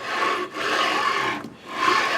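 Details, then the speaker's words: 3D printer (Anet/Creality) bed on linear rail: rough rasping grind each back-and-forth stroke, rough spots felt; pitted rail lets bearing balls drop into pits, bearings feel flat-spotted. "it feels some rough spots like you put your hand on there and you can feel it the bearings of the surface of the barians I feel like I asked me flat spots on my bearings"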